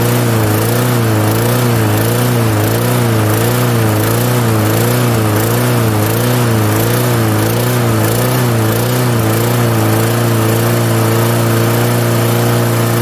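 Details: 1998 Murray 20506x8a push mower, auction find, full throttle on rabbit, no working kill switch: loud steady low drone with slow gentle pitch waver; small engine running well.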